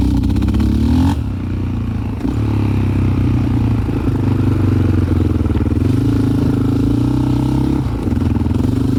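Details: 2001 Yamaha Raptor 660 ATV with Hotcams stage 2, cam alignment not perfect: runs rough with stumbles at low RPM, then takes off like a rocket; same with old and new carbs, safety switches bypassed. Low-RPM misfire.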